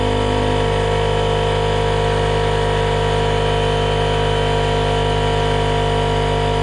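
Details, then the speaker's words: RIDGID 18V cordless air compressor, Gen5X brushless motor, model R0230, filling its tank to about 100 psi: loud, steady motor-pump drone at an even pitch throughout; the compressor runs smoothly and sounds healthy. "I'm gonna go ahead and turn on this air compressor. It could be loud, so just prepare your ears."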